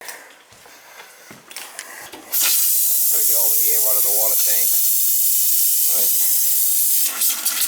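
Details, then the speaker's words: Summer cottage water supply turned back on: steady, even rush of water from the faucet with no sputtering or air bursts; clean, uninterrupted flow, a good sign. "water running so that's a good sign"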